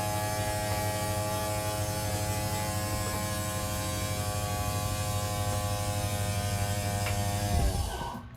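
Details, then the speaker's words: 2022 CrossRoads Sunset Trail SS188BH travel trailer slide-out motor, button held to extend: steady constant-pitch electric buzz that winds down and stops at full extension; normal operation. "Then moving on, this is going to be your slide button. You just hold slide out. You're gonna hear it start to move."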